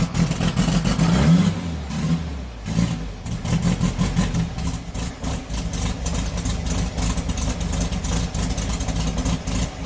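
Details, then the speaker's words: 1971 VW Super Beetle after engine swap and new clutch, first start: engine catches, runs rough a moment, then revs and settles into a lumpy but even air-cooled beat; sounds healthy. "that sounds [Music] Wicked hell yeah she's alive"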